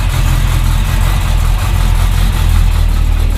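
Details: 1971 Chevy Nova Chevy 350 V8, not run in 15 years, unchoked after warm-up: even, deep idle with steady low rumble, no misfire or knock, settling into healthy warm idle.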